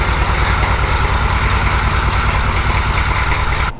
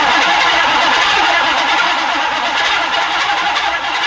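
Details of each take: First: Grandpa's recovered OBS Chevy truck after a starter replacement, idling: steady low diesel chug with even, regular firing pulses and no knocks; running normally, later drivable after patching a holed transmission fluid line. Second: OBS Chevy truck, recovered after theft, newly installed starter: slow heavy strained cranking about three and a half beats a second; starter sounds like it's turning tightly, cause unconfirmed.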